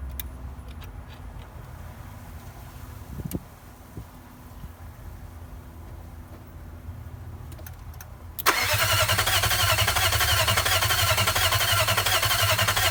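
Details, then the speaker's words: Nissan VK45DE (2003 engine swapped in for a 2002 with blown head gasket): starter cranks steadily about five seconds but never fires; occasional small backfire, fuel pump not heard priming at key on. "I'm gonna try and crank it right now so you can hear what it sounds like."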